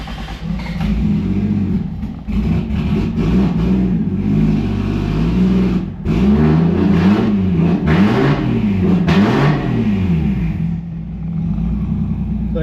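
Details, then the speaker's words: A70 Supra with JZ swap on new drive-by-wire throttle, already warmed up: throttle body follows pedal but revs bog and nearly drop out on tip-in; tune still being written (V3 software), hesitation cause unconfirmed. "you can hear the throttle body moves with the pedal and uh it'll run but it kind of hesitates when you come on to throttle"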